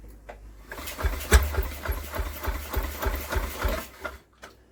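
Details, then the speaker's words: Villiers WX11 engine with a good spark and screws found fully screwed in: irregular pops about three or four a second that catch briefly then fade; it fires but won't keep running. Over-fueling suspected, not confirmed. "so it's definitely got a good spark I can hear that but for some reason it just doesn't want to fire in a life"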